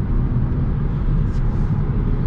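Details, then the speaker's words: Renault Clio RS Line with CVT gearbox, recorded from inside while driving at about 5500 rpm, nearing 6000: a deep, even rumble with road noise and no knocks, whine or roughness; a quiet, healthy engine. "turn 5500 rpm, it is not even clear, it is approaching 6000e, it is approaching 6000, it gives the feeling"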